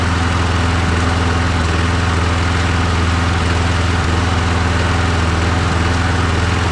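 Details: Husqvarna string trimmer after small engine repair (spark checked, air filter fine, gasket replaced): fires and runs with a steady even thump, about two pulses a second, no misses or knocks; healthy.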